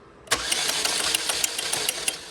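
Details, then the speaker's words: 2004 Chevy Malibu Classic petrol engine, sludged, after ATF flush, new timing chain tensioner and re-timing: compression test cranking light, fast, even, about six to seven beats a second, no compression; low oil pressure lets tensioner slack and chain skip teeth. "nope no compression it's off and every time i bump it it is slack for a second because it can't build up enough oil pressure to make that tensioner shove itself it skips teeth"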